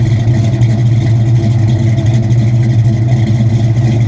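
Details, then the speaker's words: Supercharged stroker Mustang GT V8 at idle with about 80 psi oil pressure: deep, steady, even low rumble with no knocks or ticks, sounding healthy. "oh she sounds so good listen to that thing"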